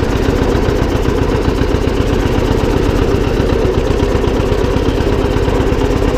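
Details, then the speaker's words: John Deere 720 two-cylinder diesel tractor running after repair: steady even diesel chug at idle, no knocks or whine; transmission noise gone, normal idle. "okay well she works pretty good I miss her glad that the transmission quit making that noise on there"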